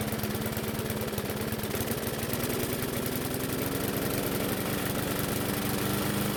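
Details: Bolens mower single-cylinder engine, run with the air filter off: a low, uneven putter that stumbles and hunts at slow speed; the engine is fuel-starved from a distorted carburetor diaphragm.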